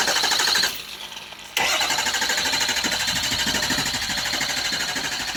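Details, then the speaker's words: 6.0 engine hard start: after sitting it started right up, but the next day it took forever to crank; it finally catches and settles into a rough, uneven idle. Owner suspects fuel flowing back or being blocked, cause unconfirmed. "and then the next day I went to crank it again and it took forever to start it so there's something wrong somewhere"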